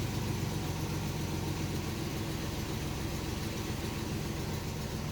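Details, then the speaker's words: 1987 Chevrolet Celebrity Eurosport with 235,000 miles, idling after replacing the dash cluster bulbs: a steady, even low rumble with no knocks, misses or surges. The check engine light went out and it runs well. "check engine light went out car really runs well for 235 thousand miles"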